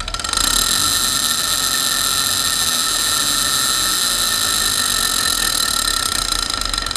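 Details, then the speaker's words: Candey & Otto drill press during rebuild, started briefly; steady hard grinding with high metallic whine, much more than before, while spindle isn't turning. "I'm gonna start it up and shut it off because it's making a lot more grinding noise than it did before"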